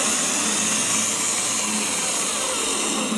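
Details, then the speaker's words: Jeep Wrangler starter motor spinning on the bench after the carbon was cleaned out of the solenoid. A steady high-pitched whir at constant speed with no grinding or stutter shows a properly working starter. "perfect so that is a properly working starter now cleaned out the carbon unseed the solenoid"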